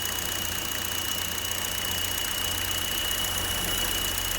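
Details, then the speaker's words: 2015 Buick Encore 1.4L LUV, 104,246 miles, code P0171 lean bank 1: thin steady high whistle over smooth idle, changing when dipstick pulled; failed PCV check valve causing vacuum leak, valve cover replacement likely. "it's that whistling you're hearing there's a change when i pull the valve the dipstick sure does"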